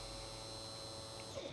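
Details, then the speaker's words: Champion EFI generator at key-on: steady electric buzz with engine silent as the pump cycles; pump primes but generator won't start. "You can hear that fuel pump cycle. Let me do it again. That's the fuel pump."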